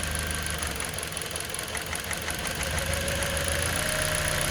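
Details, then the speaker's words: Toyota Corolla four-cylinder after repair for cylinder 1 misfire, check engine light and low power: steady idle with even beat, no misses; engine shakes as each coil connector is unplugged, confirming all cylinders firing. "vão perceber que todos os quatro agora estão funcionando cada um dos conectores que eu desconectar vocês vão ver que o motor vai balançar vai alterar o funcional o funcionamento aí indicando que de fato está funcionando"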